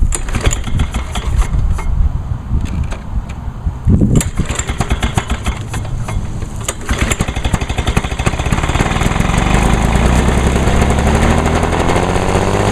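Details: 1986 Lawnboy 8461 commercial mower, 21-inch cast aluminum deck, on choke, starting after fuel valve was turned on (had been forgotten off): ragged uneven pops then fuller steady two-stroke drone; running properly.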